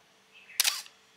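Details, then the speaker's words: Canon AA1 camera: a sharp shutter click followed right away by a short, thin squeak from the dry advance mechanism; to be oiled with sewing machine oil. Dry advance mechanism squeak. "Just after clicking, there's a squeak sound."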